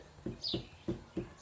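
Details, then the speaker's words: Mercane WideWheel electric scooter steering stem grasped and rocked back and forth: five dull clunks in under two seconds. There is play in the steering stem but little twisting; something has let go. "you might be able to hear it as well it's got some movement in there but interestingly whatever's let go it hasn't got much twisting"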